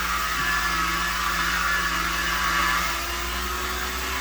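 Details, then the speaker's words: Repaired Headhunter X-caliber 12/24 V DC pump installed on the boat, about 400 W setting, tap open: hissy, uneven whirring with a wavering hum and spluttering edge; noises from air getting into the water lines, should shut itself off. "and we're making some noises because we got air finding its way into the system. But it should shut itself off."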